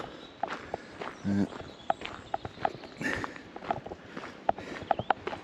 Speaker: I I also apologize for the constant rattling um that you can hear all the the clinking noise um essentially the housing unit on the the GoPro selfie stick that I'm using is has broken so it's constantly vibrating